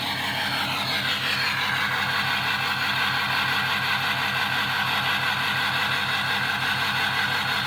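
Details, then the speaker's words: Ford 6.0 diesel truck at idle with loud intake whoosh: uneven, lumpy beat about twice a second, engine missing with a clicking on one side; codes include P0269, suspected bad injector or damaged harness, not confirmed. "But if you listen to the engine, you can hear it missing. I mean, just listen to it right here."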